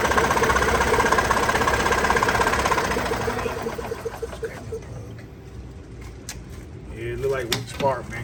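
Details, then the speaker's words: 1994-2005 EZGO TXT gas golf cart cranks with a steady chug about three beats a second but never fires; one plug wet, showing fuel is present; weak spark and possibly a bad coil suspected, not confirmed. "cuz one plug was wet meaning you got probably got weak spark in here"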